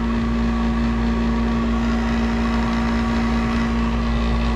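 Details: 1991 Snyder General dedicated-horizontal furnace with burner lit, after a new capacitor was fitted: a loud, constant hum with a steady low drone and rumble, unchanged; the worn blower motor is recommended for replacement.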